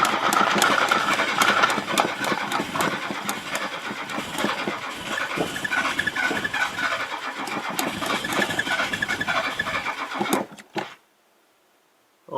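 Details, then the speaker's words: Classic Mazda sat for over 10 years, first start attempt: starter churns about three to four turns a second with faint catches that never take; almost fires but won't start, engine probably not healthy. "boys almost that doesn't sound good well either way it did want to fire"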